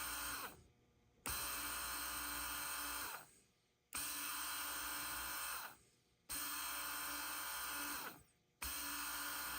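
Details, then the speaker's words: Honda TRX420 electric shift motor, bench-tested after cleaning and lubrication: rough, uneven whirring in roughly two-second bursts, showing high current draw, intermittent; likely a fault in a brush or the commutator, not confirmed. "There it is. So, you can see how erratic that is. That's why it wasn't initially uh so obvious to find."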